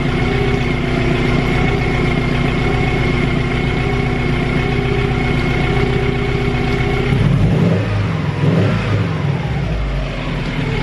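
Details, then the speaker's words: Turbo Subaru Impreza GC8 idling smoothly once the choke turned off, with a clean rev blip; this follows fixing boost and idle fluctuation with a correct 8mm actuator end and resealing a leaking gasket with gasket cement. "Right, so the choke has turned off and it is purring nicely."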